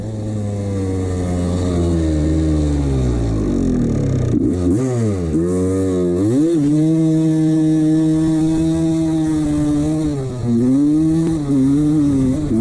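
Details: 1989 CR250 raspy two-stroke revving up then settling to a fast idle with a loose rattle underneath; piston slap in a worn bore, ignored by the owner.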